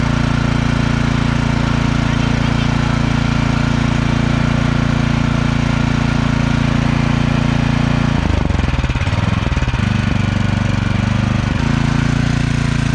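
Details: Cub Cadet two-stage snowblower single-cylinder engine, after fixing a no-start caused by congealed ethanol fuel, on fresh gas, started at slightly under full throttle. Catches and holds a steady, even chug with a brief throttle change; runs normally.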